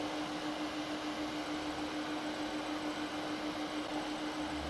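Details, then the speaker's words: LED96 WiFi projector from AliExpress, recorded with the camera right against it: a soft, steady, airy rush with one constant mid hum that never wavers; the cooling fan hums, but not loudly, and runs normally. "гудит Ну вот прям вот вплотную стоит к проектору поэтому прям вот гудение вам максимально слышно не сильно оно на самом деле"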